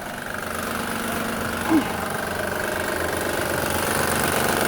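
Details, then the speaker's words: 2007 Honda Pilot at idle: loose uneven rattle about four a second over steady hum; timing belt tensioner visibly moving up and down too much. "You can hear the rattle. Can you hear it? So let's take a look. As you can see, you can hear all the movement. See how the tension moves up and down like too much."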